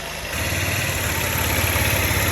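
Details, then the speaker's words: Old Honda Elite 80 scooter after carb work: steady, slightly uneven idle with a thin airy hiss, owner thinks it runs lean on revving; vacuum leak, air drawn in at the petcock vacuum hose, intake manifold also suspected. "i think when i rev it up it's running lean because the problem is because it's sucking in air oh it's crazy if i did back here [Applause] i don't know where all this extra air is coming from"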